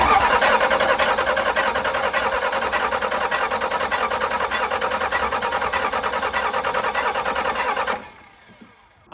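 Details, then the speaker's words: Cummins 6BT 12-valve roll-back tow truck after piston replacement and thinner head gasket, cranking on jump pack after injector bleeding: steady cranking about three beats a second, no catch; air entering fuel through leaking lift/primer pump. "much at a loss but I have found something very weird and I just looked it up and I think it's the problem so I think I just found why this thing won't start"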